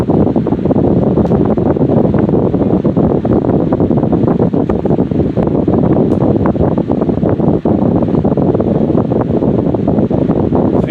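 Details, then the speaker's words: Restored Patton 14" U2-1479 fan running on high after new oil wick felt, fresh bearing oil and revarnished stator; strong, steady, even rush of air, no ticking, scraping or wobble, normal running. "This thing is very powerful. Puts out a really good volume of air. Packs quite a punch for a 14-inch fan."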